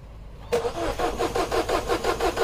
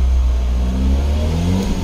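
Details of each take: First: 2012 Mini Cooper 1.6L manual, new fuel pump already fitted, code for high-pressure fuel too low on cold start: even cranking about three beats a second, engine never fires; no fuel, pump not running. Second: 2012 Mini Cooper 1.6L manual, after crank-no-start with low fuel pressure: engine revs smoothly from idle, even and clean with no knocks or stumbles; normal engine revving.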